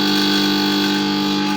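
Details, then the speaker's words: Gas compressor built into an SMD soldering station (hot-air gun) body with a fitted motor, powered on before repair: loud, constant buzzing hum of steady pitch drowning out speech; pressure is fine but noise is excessive, brought in for noise repair. "ये देखें, ये इसमें काफ़ी शोर है। मेरी आवाज़ भी आपको सही तरह से समझ नहीं आ रही होगी, काफ़ी इसमें शोर है।"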